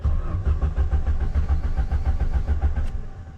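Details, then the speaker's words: Ford Sierra RS Cosworth left in a garden for over 17 years, immobilizer light flashing and no fuel pump buzz heard: the starter turns the engine evenly at three to four beats a second, never fires, and winds down. "she started well she turned over over we've got lights"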